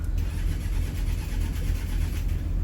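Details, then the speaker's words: Boat's Westerbeke diesel generator: briefly fires with low rough rumble, then quits and only clicks; battery replaced and good, owner suspects starter or switch. "Oh, it started and then it quit. So, it did. You hear that? You probably can't. Now, it's giving me a click."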